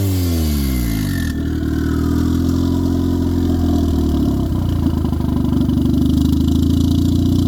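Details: 1996-99 Honda Civic EK turbo after alternator replacement: brief crank, then it catches and settles into a steady, even idle without stumbling or sagging; no longer bogging like when the old alternator drained the battery.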